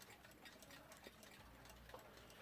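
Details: Smiths alarm clock movement, late 1950s–early 60s, aluminium dial, newly arrived from eBay: faint, light ticks at an even rate in a quiet room, no hesitation or scraping; the movement runs normally.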